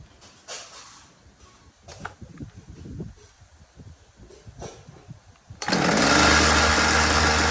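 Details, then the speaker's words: Ryobi RCS4246B two-stroke chainsaw that died when revved: it starts and settles into a steady, even idle. "t up because as you did see it was idling just fine until I revved it up and it stopped"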